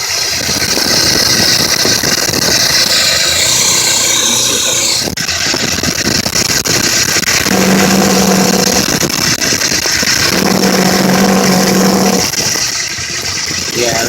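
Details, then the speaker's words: 1980 Mazda RX-7 12A rotary with carb air filter cover removed, throttle blips: low purring drone rising and fading over intake hiss; after smoking, shaking, stalling, jittery low rpm and backfiring, cause unknown. "it started backfiring kinda and it makes a weird noise when i would I step on the gas"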